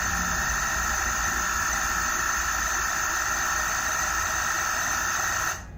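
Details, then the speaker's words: Inverter AC compressor (Voltas/Whirlpool/Bluestar PCB, F2 error) restarted in quick start mode after reprogramming EEPROM: constant high whine with shrill top note over low hum until cut off; same abnormal noise returns, basically an EEPROM data problem. "तो आप देख पा रहे हैं कि कैसे compressor ने वही पहले वाली आवाज करनी शुरू कर दी है। तो यह बेसिकली इब्रोम डाटा की ही प्रॉब्लम"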